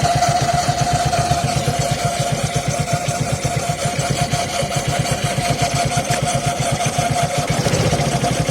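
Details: Suzuki Access 125cc scooter at first start of the day: engine catches and settles into a quick, even idle thump with a steady whine; it also makes noise at 30–40 km/h; mechanic says timing chain, owner doubts it.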